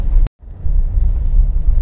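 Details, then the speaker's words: Nissan Terrano on road test after tightening loose dashboard strip near instrument cluster: steady low road rumble only, no buzzing or rattling from dash; previous cluster-area rattle gone, blamed on careless earlier outside workshop work. "अभी कोई आवाज नहीं आ रही है तो इसी वजह से मतलब यह देखिए छोटी छोटी सी लापरवाही जब हो जाती है ना"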